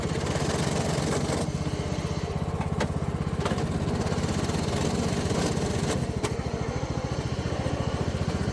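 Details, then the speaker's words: Troy-Bilt Pony riding mower engine running steadily with scattered sharp clicks as the transaxle pops out of forward and grinds, sometimes lunging into gear. Owner suspects a worn shifter fork; the fix replaced the fork, clutch collar and gear. "The first one will be of what it was doing. Sometimes it would lunge and kick in, other times it wouldn't."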